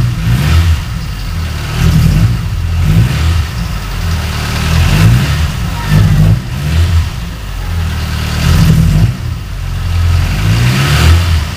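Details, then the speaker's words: Car running rough at idle after engine shop repair of a warped head, before replacing makeshift spark plug wires: uneven stumbling thumps with no steady rhythm, backfires a lot when driving; misfire from faulty spark plug wires. "okay okay so that's what it sounds like it's it's not smooth at all when i drive it backfires a lot and it's it's just not smooth"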